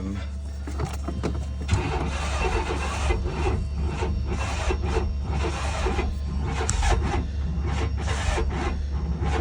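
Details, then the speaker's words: 1995 GMC Jimmy/Chevy S10 Blazer 4.3 Vortec V6 cranking after distributor reset 180° out: steady starter cranking with uneven chuffs and a near catch but never fires; ignition timing slightly off suspected, fixed next by turning distributor. Cranks, won't start. "all right if it don't work this time I'm giving up for the night we'll do that in the daytime"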